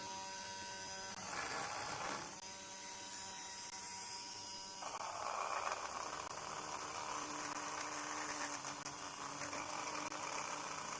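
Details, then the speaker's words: Newly fixed rotor drum hub, replaced after the old one broke, spun by hand before magnets and coil are installed: clean, even whir, no rumble or clunks; bearings smooth. "oh yeah i like that bearings are making a bit of nice that's really sweet i mean it sounds like it's got a sweet sound it doesn't sound rough and bumpy and clunky so that's good"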